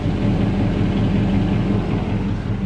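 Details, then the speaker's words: 2003 Dodge Ram 1500 Hemi, original engine, 390,227 miles, after cold start at about 55°F, recorded low underneath driver's side near oil pan: dull regular knock over idle rumble, steady enough to time; rod knock, not bad yet. "yeah i was like that's that rod knocking like i said it's not bad but it's bad"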